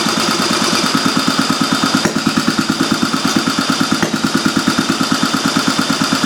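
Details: Old Briggs & Stratton Model A single, first run with gas squirted into the cylinder and the carburetor not yet serviced: even, regular chuffing at about three firings a second, holding steady without misses; it runs fine.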